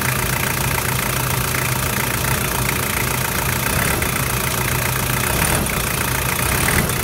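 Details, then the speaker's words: Toyota 1KZ-TE diesel (Prado/Hilux), cold, after injector and glow plug replacement: even, steady idle clatter with a regular beat and no misses or heavy knock. Normal diesel idle, with a little smoke that is expected for a cold 1KZ. "beautiful and that's what a 1k z sounds like when it's running in mickey mouse condition and you get a little bit of smoke out of course because it is a 1k z"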